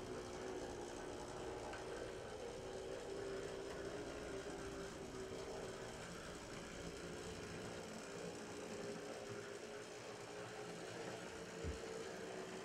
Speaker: there is a note that has some gear noise and you'll hear that as it goes